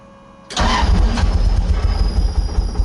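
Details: 2JZ-swapped Nissan 240SX, first start on a new wiring harness with fuel just hooked up: catches abruptly and sputters unevenly with ragged low pulses, never settling to idle; several open vacuum ports are suspected as the cause.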